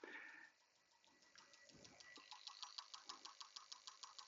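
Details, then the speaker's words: Mercruiser 496 marine engine PCM on the bench with injector 2 and 7 codes, injector 7 driver tested: crisp, evenly spaced ticking about three clicks a second, none skipped; injector 7 firing normally, unlike intermittent injector 2. "hopefully you can hear that I'm really putting it through the bench so you guys can hear that click click click click click click click click cck"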